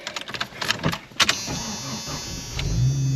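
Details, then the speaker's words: 1996 Jeep Cherokee XJ winter beater with a faulty neutral safety switch: clicks and handling, then a short crank and the engine fires right up into a steady, rising run; normal start. "And then, so maybe I'll just try putting it in neutral. Sure enough, it started up."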